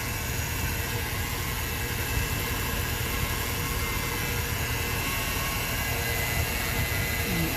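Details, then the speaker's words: Old shop truck that wasn't getting fuel, idling after cleaning the connectors and reseating the under-hood driver's-side fuel pump relay: steady, even low rumble with no misses, knocks or surging; engine runs smoothly. "Well, folks, do you hear that? It's running. It's actually started and ran."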